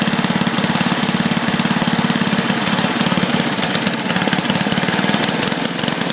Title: Tecumseh engine misfire